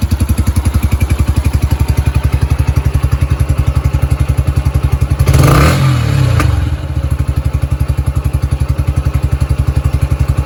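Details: Yamaha YBR 125 single-cylinder started cold after a replacement secondhand electric-start part was fitted; even thump at about 220 beats a minute with one brief blip; steady, healthy idle.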